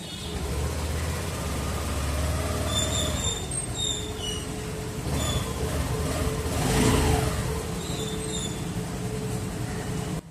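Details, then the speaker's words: Scooter with a silent start system (SMG smart motor generator, as Yamaha calls it; ACG on Honda) started with the self-start switch: the engine catches with no cranking whir or starter clatter, then settles to a soft, even idle. Normal quiet start. "हम self switch press करते हैं तो ये silently start होती है। इसे ही silent start बोला जाता है।"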